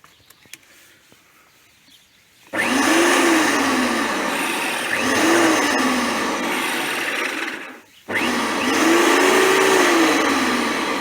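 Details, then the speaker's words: Qualcast electric lawnmower that was not working: silence, then the motor whirs up abruptly, cuts out near eight seconds and restarts as the supply cable is moved. Intermittent power from a broken conductor in the supply cable. "I have to move the wire with my foot. If I move the wire with it switched on, it should come on."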